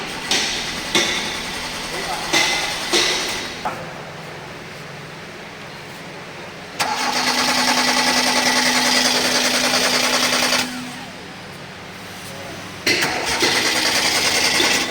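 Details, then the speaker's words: Old Hyundai Verna: engine cranks steadily in several starter bursts but never fires; the main fuel pump (green positive, black ground wire) gets only 6 V while cranking instead of the full 12 V it needs, causing the no-start. "பாருங்கள் 6 voltage தான் வருது. இது 12 முழுசாக 12 volt வந்து தான் உனக்கு பம்பே on ஆகும்."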